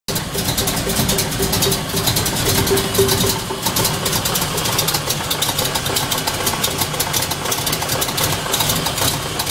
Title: Strange noise, must find out what it is. LT1